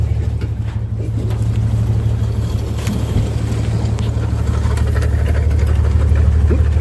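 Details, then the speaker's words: 1962 Dodge M37 truck revived after sitting about 45 years, idling with a low, slightly uneven beat and occasional dropped stroke; mild miss blamed on regular spark plugs and cut-off plug wire ends instead of the correct tube-top plugs. "It doesn't sound too bad. Got a little bit of a miss, but it doesn't have the right spark plug wires on it. Or the right spark plugs, I should say. Somebody cut the ends up off and put some regular spark plugs in them."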